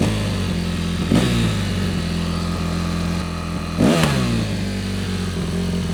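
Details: Yamaha YZ450F single-cylinder after carburetor cleaning and hot-start repairs: steady idle with two crisp throttle blips returning to an even tickover. Runs healthy; normal running.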